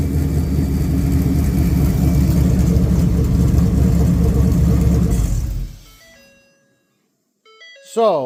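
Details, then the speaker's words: Ford 5.0 Coyote V8 crate engine for a 1966 F100, run on its delivery pallet; deep, even burble at steady revs, valves sound great, no knocks or misses, then shut off with door chime; normal running. "It sounds really good. I got to admit that the valves sound amazing."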